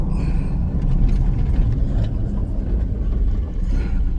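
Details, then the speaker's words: 2002 Chevy Silverado (lifted) after a front wheel hub replacement, test drive: smooth low road rumble, no crunching, grinding or speed-linked growl from the front wheel; the new hub sounds healthy, though alignment is off. "ready if you hear anything let me know okay sound good over there boy does it sound good sounds good to me"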